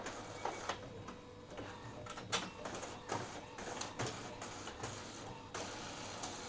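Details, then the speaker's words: Epson L15160 printer after timing belt replacement, printing a 20-page test run with regular carriage sweeps, soft clicks and paper-feed whirs; sound still normal, not too noisy, a slight worn sound but still fine. "suaranya Masih normal enggak terlalu berisik Walaupun ada terdengar suara yang aus cuma masih aman"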